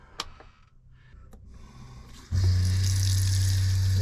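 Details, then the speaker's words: Flojet water pump in a Casita travel trailer after replacing its pressure regulator: it kicks in with a steady, low, even buzzing drone and shuts off when the tap closes, with good flow; normal pump operation. "see the water pump comes right on pumps water through no problem you can hear the pump running you can hear the pump turn off when we turn the water off and both sides work we've got good flow"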